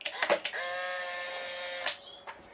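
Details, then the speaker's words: Polaroid SX-70 with SX-70R PCB, lithium-ion battery mod and new FK-130SH-16140 replacement motor, thought about 1,000 RPM slower than original: shutter clicks, then a clean 1.5-second high motor whir; normal film ejection, maybe slightly slower. "it just sounds like it takes ever so slightly longer to eject and I believe that's because for whatever reason these motors are just slightly slower by 1,000 RPM or so than the original"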